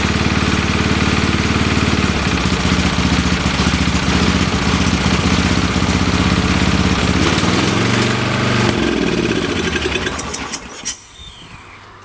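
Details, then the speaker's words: Old late-1980s/1990s lawn tractor with a gummed carburetor (turpentine smell) and gas sprayed into the carb: the small single runs only on choke with a fast, uneven beat that sags and dies; plugged carburetor starving it of fuel. "it only runs on choke"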